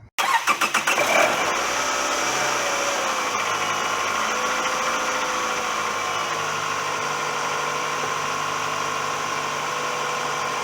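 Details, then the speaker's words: Toyota 2.4-liter 2AZ-FE four-cylinder after valve cover gasket replacement, cracked hose taped: short crank, catches quickly, settles to a smooth, steady idle, no knocks or misses; puff of smoke is oil in the cylinders burning off. "So the car is running, and that big puff of smoke is the oil that went down in the cylinders. It burns right off"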